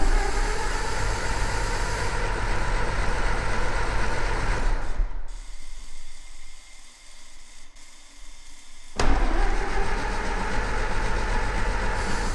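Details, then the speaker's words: 1924 Ford Model T, not run in many years, first start-up after starter refitted: low chuffing idle stops, then fires back and settles into steady, even run; runs but crew thinks choke needs leaving more open and timing adjusting. "that's running though yeah but let's try it again and that way i think we need to leave the choke open more and then you need to mess with the timing"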